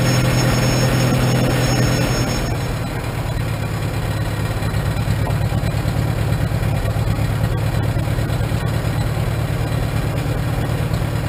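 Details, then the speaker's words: 1947 Farmall M tractor with Farmhand loader, first start after two to three weeks sitting: low, steady idle with even thump about three times a second, no knocks; runs well, slight hiccup possibly carbon. "seems like it's running pretty good I get some fine-tuning sounds like it's got a slight hiccup it might be just a little bit of a carbon just then"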